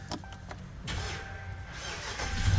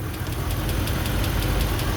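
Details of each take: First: Dodge Ram V8 (Hemi) starting on a new Mopar battery after earlier needing a jump: a few clicks, brief crank, then a steady low rumble; normal start, though the non-typical ticking noise remains. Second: Dodge Ram (engine still running after a jump start) at warm idle: a sharp, even tick about five or six times a second, still there 5–10 minutes after startup; mechanic suspects an internal valve train fault, possibly a lifter, and says it's not the typical Hemi tick.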